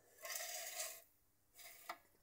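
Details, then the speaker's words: Claude & Lyons Regulac Type RK8-M variac with scorched windings, left outside, untested before restoration: cranked up from zero volts, a rough gritty scrape in two passes as the knob turns, from the wiper plate rubbing the top of the aluminium housing. "it sounds a little bit rough because of the plate is actually rubbing on the top of the aluminium housing there but i can take that off"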